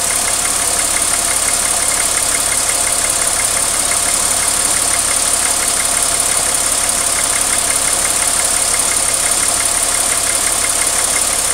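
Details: 2001 Porsche Boxster 2.7 petrol engine running steadily with a strange, fairly regular light ticking on top, about two a second; cause unknown.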